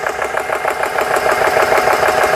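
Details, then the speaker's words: GX CS3 compressor after O-ring repair (four O-rings replaced), just started pumping: quick even piston pulses with steady rhythm, no knocks or squeals; sounds good so far. "See if everything sounds okay. Sounds good so far."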